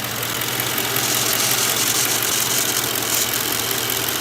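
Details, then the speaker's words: 2010 Mercury Grand Marquis 4.6 V8, about 46,000 miles, at idle: a light, fast fluttering rattle over a steady idle that sounds like a valvetrain problem but is an old metal-style PCV valve vibrating inside. "for some reason the PCV valve make this crazy noise and the older ones with the metal style when they're rattling in there they kind of flutter just sit idle like this it sounds like there's a valve train issue"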